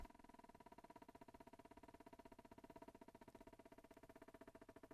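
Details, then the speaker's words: Philips Senseo coffee machine at switch-on: a quiet, fast, even ticking hum, about ten pulses a second, as the water heats normally. The defect is elsewhere: the light keeps blinking and coffee can't be made; owner suspects a capacitor. "when I switch it on it blinks as usual and now the water should start to heat up and one can hear a little sound"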